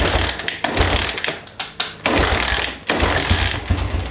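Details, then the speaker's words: Kickstart engine, cold, with no choke: uneven kick strokes with sharp pops and a backfire but no catch; it usually fires right up but is cold-blooded, and the owner says he'll have to choke it. Cause suspected, not confirmed. "And this one usually fires right up, but it's a cold-blooded pig."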